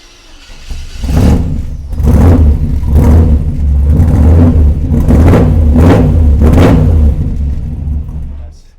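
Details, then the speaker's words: 1948 Mercury pickup, first start in over 50 years, fuel poured into carburetor: engine catches and pulses through about six throttle surges, then dies; owner suspects gummed-up carburetor blocking fuel passage, though fuel pressure reaches regulator. "You guys can hear the exhaust. However, I think the car might be gummed up. So, we might have to just take the top part of it off and uh see if anything is blocking the gas passageway."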